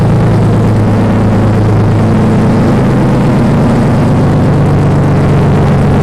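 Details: BMW 318i engine swap, first start after fuel lines were swapped, no exhaust fitted: very loud, raw, deep roar with a harsh blatty edge at steady speed; loud running from open exhaust.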